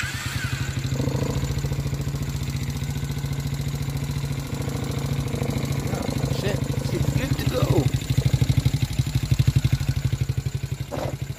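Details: About 49 cc kids' Chinese ATV after installing a new starter solenoid, which previously only clicked; settles into a quick, even putter of about three beats per second with no misses; normal idle.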